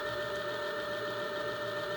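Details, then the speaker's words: D500 hub motor, speed limit unlocked, spun freely with no load (up to 55 km/h): smooth, even high-pitched whir with two steady tones, no knocks or scraping; motor working well. "All right, the speed was unlocked. Now you can run up to 55 kilometers per hour with no load."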